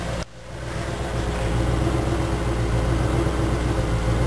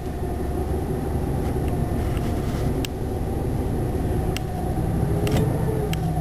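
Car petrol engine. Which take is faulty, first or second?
first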